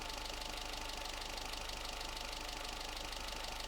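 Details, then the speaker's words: Low-mileage 1984 Austin Mini after Lucas 45D distributor service and SU HS4 carburettor update, timing, idle and mixture untouched; steady, even idle with a fast regular beat and plenty of hiss, smoother, less hesitation than before. "With everything that's been done to that, it's smoother. It idles better. It revs better. It doesn't hesitate like it did."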